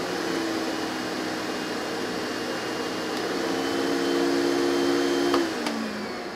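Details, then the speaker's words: Hoover model 1070 metal-base vacuum with Henry bag fitted for better airflow: smooth steady motor whine stepping from low to high speed, then winding down; even and clean, normal motor run. "it really is a pleasant vacuum to use and listen to"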